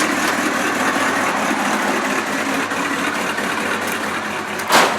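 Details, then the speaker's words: 1971 truck driven for the first time after a brake repair, warmed up hot, muffler with three holes in it: the engine runs at a steady, even speed with no knocks, ticks or squeals, still sounding good and healthy. "why that's only a muffler that it's got three holes in it well i think the engine still sounds good"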